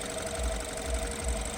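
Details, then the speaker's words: BMW 320i at idle with the air intake covered: a steady high crying wail rides over the idle with a low pulsing throb; source still unknown. "olha vocês estão escutando que ela tá chorando né O Eric vai tampar a entrada de ar ela aqui ó"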